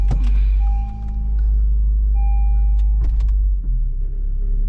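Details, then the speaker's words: Honda Civic at idle after replacing an engine mount: steady smooth idle, low even hum, no vibration or thumping shifting through reverse, neutral and drive. "Yeah, reverse perfect. Neutral perfect. Drive perfect."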